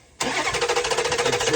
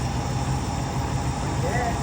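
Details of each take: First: 2008 Dodge Durango 5.7 HEMI with a P0304 skip on cylinder 4, valve cover off: short, uneven pulsing run with a skip in the firing beat despite intake and exhaust valves moving. Cause was a cylinder deactivation (MDS) problem. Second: 2008 Dodge Durango 5.7 HEMI V8 after replacing the failed cylinder 4 deactivation solenoid, which had caused a constant skip about 3 seconds after startup: steady, even low idle rumble with no stumble, smooth as glass.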